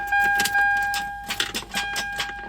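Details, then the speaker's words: 1996 Toyota 4Runner, 290,000 miles, key turned: quick clicking bursts under a warning chime and no crank. Weak battery or bad starter solenoid suspected; it later started on its own. "So that's, guys, either weak battery or we have a bad starter solenoid. Definitely. I'm glad you heard that sound."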